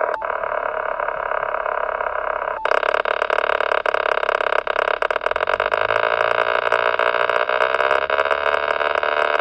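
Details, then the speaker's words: Yaesu FT-857D radio, a few months old, mobile install with ATAS-120A, on HF: loud steady crackling in all modes except FM, even with antenna disconnected; alternator whine rises when revving; radio grounded; owner suspects DC power to filter stages. "on FM any other mode has a big crackling noise [Applause] if I uh step on the gas you can hear the uh some of the whining coming in but the crack L still there even the antenna disconnect"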